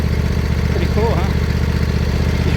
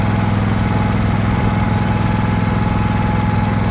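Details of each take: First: John Deere LA120 mower, owner thinks a 21 hp Briggs twin, after revival and mowing tall grass: a healthy idle with a smooth, even, quiet low putter and no knocks or misses. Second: John Deere LA120 mower, owner thinks a 21 hp Briggs twin, acquired non-running, battery weak on a 50-amp boost charger: a low, lumpy thrum with an uneven beat around two per second that stumbles near the end, running rough.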